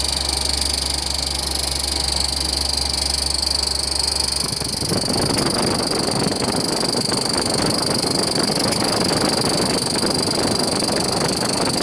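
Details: Sollich Tempe machine, Collmann drive: steady high whine, then a rough, gritty running noise sets in and stays; bearing damage suspected, not confirmed.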